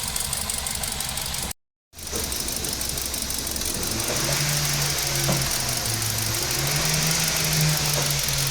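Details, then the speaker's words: Kia Pegas with check-engine light and fault code P0303, cylinder 3 misfire, at idle: uneven lumpy beat about four per second with low droning pulse and heavy vibration. An ignition coil shows 12 V where it should not; wiring checked fine. "Start है engine एकदम vibration कर रहा है एकदम ल रहा है"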